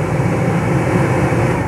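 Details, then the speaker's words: Renault Megane 2 cabin heater blower after fitting the new fan and new resistor: smooth steady air rush with even low hum, speeds adjust, no more noise. "Montăm această mufă sau clemă și putem proba gata deja scoate face curățenie pe acolo t așu reglează treptele nu mai face zgomot"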